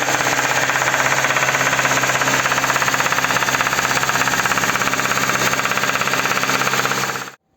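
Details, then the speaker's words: KIA K5 engine runs quiet and smooth at idle, but raising revs to about 2000 rpm brings a hard metallic knock that disappears with more throttle, only in a certain rev range; knock does not grow with revs. "Но как Только начинаешь давать газ поднимаешь обороты где-то на 2000 появляется вот такой вот стук"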